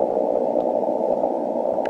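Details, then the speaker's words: 160 m receive setup with Waller flag loop: reconnecting the rotator cable brings a steady rushing hiss with no signal beneath, about one S-unit; common-mode noise pickup from the rotator cable. "I started connecting the wires that I didn't hear in the receiver while the wires were disconnected so I've got some more work to do to isolate the common mode noise but these are the types of noises that we have to get rid of"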